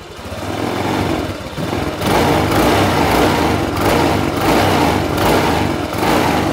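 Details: Honda Vario 150 scooter at 93,000 km, before the oil change, running on the old cooking-oil mix after several thousand km: starts and revs with a smooth buzz and no knocking. The owner says it still sounds smooth and pulls lightly.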